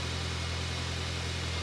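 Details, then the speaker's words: 2006 Mini One R50 with Tritec petrol engine, first start after timing chain replacement: smooth even low idle hum with no chain rattle or ticking; normal idle, timing chain rattle solved. "So I think we've definitely solved the rattle of the timing chain."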